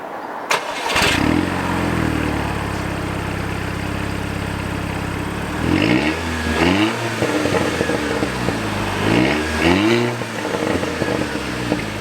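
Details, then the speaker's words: Audi TT Mk2 with stock exhaust, which has a bypass around the centre silencer: short start-up in which the engine catches cleanly, settles into an even idle, then crisp rev blips rise and fall smoothly. Normal start-up and idle. "Now, the exhaust does sound really nice on standard, I think, so I will give you a short start up."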